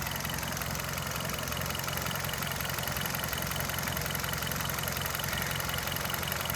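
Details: Hyundai Verna 1.6 petrol with 34,000 running, well maintained with no leaks. A smooth, even idle with a steady low hum and no ticking, knocking or misses; the engine sounds normal.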